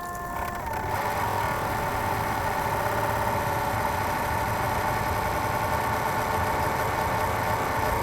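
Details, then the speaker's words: Home PC used daily for streaming and VR, CPU all-in-one (AIO) water cooler gone bad in the last few months: constant high buzzy whine with steady tones and raspy edge; failing cooler fan/pump, to be replaced with custom water loop. "we did an aio an all-in-one for the cpu cooler on there in the last few months that has gone bad and it sounds terrible"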